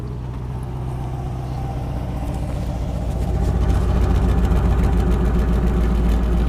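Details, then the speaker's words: 2000 Ford F-250 Super Duty 5.4 L (330 CI), previously intermittent rough idle and misfire suspected from injectors: deep, even idle with steady exhaust beat, no skips or stumbles, little engine shake; now running smoothly. "So you can hear the exhaust is running smoothly. You can't hear misses coming out of it. The engine sounds nice up here too. It's got a nice smooth run to it."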